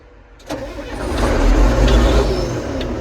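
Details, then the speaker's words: Large farm tractor at auction, about 6,000 hours: engine fires on first crank and settles into steady, even run with no misses or knocks; healthy start. "it sounds really good though I do not want to steer it into this 4630 so we are not going to fire it up again but it sounded happy"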